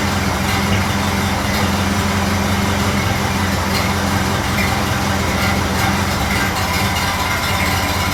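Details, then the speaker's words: Model A Ford after exhaust manifold gasket replacement and a new battery, charging about 2 amps, idle being adjusted down: smooth, even low four-cylinder rumble with no misses, ticks or puffing; healthy idle. "Get that line down just a little bit. Sounding pretty good at the moment, but I'm going to be quick."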